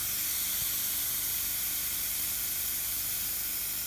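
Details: Beko top-freezer fridge, 1.6 m: freezer circuit holds pressure, aluminium capillary on the fridge-side circuit leaks; steady, even hiss of escaping refrigerant gas.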